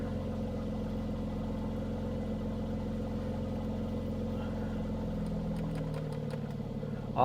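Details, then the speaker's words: Mercedes-AMG C43 at a Copart yard that went off the road, possible undercarriage damage. Idling with the AC switched on: a steady, even hum with no knocks or misses, tone shifting slightly as the AC load comes on. Normal idle. "This thing is absolutely loaded. It sounds wonderful, guys. Let me get out. Let you hear the exhaust."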